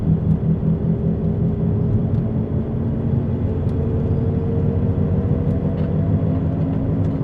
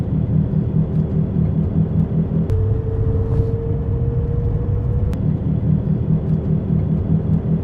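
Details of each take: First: This is what a bad wheel bearing sounds like. It has a whomping noise and will get louder and louder the more you drive on it. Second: Inside a car driving after the wheel bearing was fixed: steady low road rumble with no rhythmic whomping or growl from the wheels.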